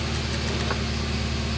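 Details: 2002 Suzuki Baleno after replacing a five-year-old battery that would not crank: steady even low idle hum, no stumble or labouring; engine runs smoothly, no longer rough.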